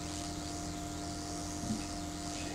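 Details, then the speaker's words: 15A coil-gun winding wire insulation test: steady electrical hum with a faint airy corona hiss and no sharp snaps, so corona discharge but no arcing. "I can hear the corona, but there's no arcing."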